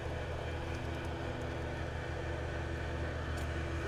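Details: Airscape whole-house fan, about 17 years old, running in the attic after a broken lid actuator was repaired: a steady, low, even hum with a constant drone and no knocks or rattles, running smoothly.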